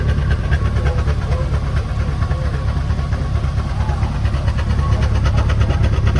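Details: 1961 Chrysler Newport big-block V8, first start after sitting for years: deep, strong rumble with an even lope and no knocks or rattles; the engine idles healthily.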